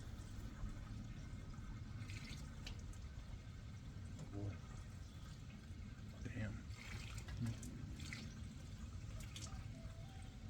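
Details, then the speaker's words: 1960 Pontiac Bonneville 389 four-barrel, first start after sitting years: steady splashing of coolant pouring out under a low engine rumble, a big leak, green spot seen in the radiator's middle. "Well, wherever this leak is, it's a good one. Wow, that was a lot."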